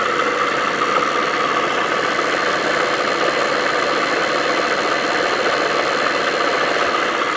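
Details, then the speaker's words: Adam's motor generator after rebuild, 24 V supply, motor speed controller, ~90 mA at speed, ceramic bottom bearing and steel top bearing: steady, even whir of constant pitch, no rubbing or knocking; super balanced, running fantastic, pumps quite a bit of air. "it's super balanced just running fantastic really really good"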